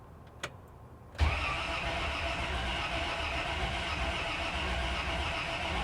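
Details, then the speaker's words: 1956 Cadillac revived after sitting for years, after the solenoid wire was changed; the starter cuts in at once and spins the engine strongly and evenly with no clicking or dragging. "All right, I changed the wire. Let's see. Definitely sounds better."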